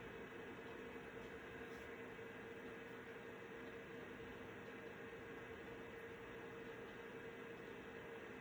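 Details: Citizen W1D floppy drive in a Compaq Armada 7770DMT after belt replacement, copying system files to a 1.44 MB diskette: quiet, even whir with no scraping, grinding or stalling; normal floppy drive operation.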